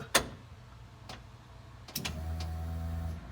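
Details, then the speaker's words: 1966 Mustang, newly installed Spectra EFI fuel tank with in-tank pump (said to be Walbro), first priming: a click, then a faint steady hum for about a second before shutoff; far quieter than the old external pump; normal priming. "not that this was super technical but I cannot hear the fuel pump now what's to say if it's louder when it breaks in"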